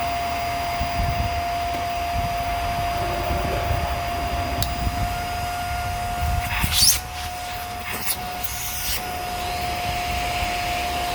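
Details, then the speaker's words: Hoover Air Steerable vacuum that wouldn't turn on, clogged filters and bad bearing found, reassembled: steady motor roar with constant high whistle and brief rubbing scrapes, slightly strained; sounds better but not great, reduced suction noise. "Well, I think it sounds better, but I don't think it sounds that great. I can tell you that."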